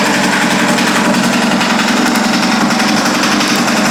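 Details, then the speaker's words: 998cc turbo Ducati engine in a custom land-speed bike, after fuel swap with good fuel pressure: fast, loud, choppy idle at about 220 beats a minute, steady with no knocks or dropouts; normal idle. "So, we'll just give it a quick start, let it idle for a couple minutes, and we'll call it good."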